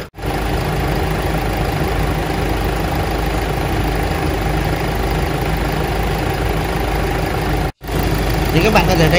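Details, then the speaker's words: Mighty EX8 truck, after replacing the SCV valve: heavy deep idle with clear uneven low knocking about three to four beats a second; engine to be dismantled, suspected internal fault. "sau khi thay van scv rồi và các bạn có thể nghe thấy cái tiếng gõ của động cơ rất là rõ ha"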